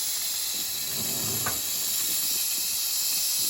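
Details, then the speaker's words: Nuwave 13-quart electric pressure canner after canning bacon ends, stopped and unplugged while venting: steady, even high hiss with no sputter or rattle; normal end-of-cycle pressure release. "I'm going to have to go back to TV and see if when I can lift the lid off after this releases."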